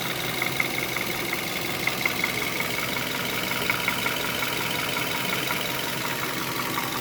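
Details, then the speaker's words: 2011 Hyundai Solaris G4FC, 166,000 km, warm at 89–92°C coolant and 95°C oil, idling: a light metallic knock that comes and goes with skipped beats and fades when revved. Source unclear, and it drives normally. "остановился коробка на драйве какой-то стук с пропусками то есть не постоянно"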